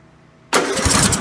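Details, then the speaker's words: John Deere Sabre mower engine with a Walbro carburetor just rebuilt with a kit including new main jet/emulsion tube: catches abruptly, ragged uneven beat, barely running; mixture screws suspected way off, needs adjusting. "yeah a few mixtures way off only into down quite a bit mallet everyone run hardly at all"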